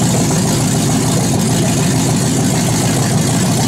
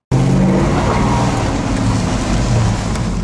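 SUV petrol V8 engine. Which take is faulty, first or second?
second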